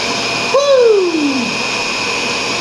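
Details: Shark Rotator vacuum after clearing debris from brush roll: steady, even motor whine, clean high hum, brief sliding note at start-up; brush roll spins freely, repaired and healthy.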